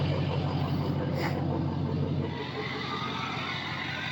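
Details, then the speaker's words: Diesel truck after all 8 glow plugs were replaced; the previously choppy exhaust is no longer choppy. Steady, even low rumble with no stumbles, then a gentle rise in revs. Number 3 injector still due for replacement. Normal idle. "That exhaust is not choppy at all. It actually sounds really good, really solid."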